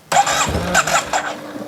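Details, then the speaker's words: Yamaha TMAX scooter restoration, first start attempt after reinstalling ignition and adding gas: starter whirs in short bursts with a couple of brief firing catches but never runs; owner suspects it isn't getting fuel, filter very dirty. "it does not want to start I hear the uh oh that was a kick that was good it fired a little bit"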